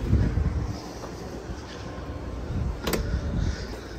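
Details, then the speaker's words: 1972 VW Beetle front trunk hood latch after stretching its weak spring about half an inch for tension: a quiet scuffle, then one crisp solid snap as the latch catches cleanly every time; normal hood latch closing. "so you see what we did there we stretched the spring out now it's working every time let's do it one last time okay you hear it it sounds like a hood now"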